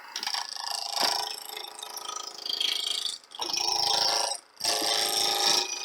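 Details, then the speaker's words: Wood lathe turning a 4-inch sphere blank; fast, irregular tapping as the gouge hits flats, easing in gaps; tool chatter because the blank is still out of round. "you can hear that it's either getting as round or get in there still got a flat on it"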